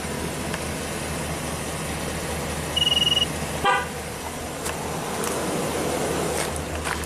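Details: 2013 Chevy Silverado 2500HD, TPMS reprogrammed for load range E tires with 60 psi threshold, sensors re-initialized in learn mode: brief high electronic beep then one short horn chirp, outdoors; normal TPMS relearn confirmation for a sensor.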